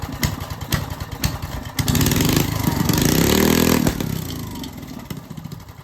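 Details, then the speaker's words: Old Briggs & Stratton engine after its coil was replaced with one from another old Briggs & Stratton, started in cold weather with choke and no kill switch: pops, catches, then runs and revs up and down with an even beat; new coil fixed it. "My point is, anyway, it does run. I think we fixed it. The new coil is what it needed."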